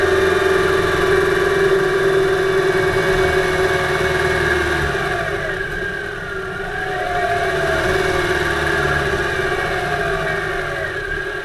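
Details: 2008 Subaru Impreza 2.5i, camera above driver-side timing belt cover, driving: faint regular knocking tick about three per second at light load, loudest around 2500 rpm in any gear, easing as load increases, absent below 2000 rpm; cause undiagnosed.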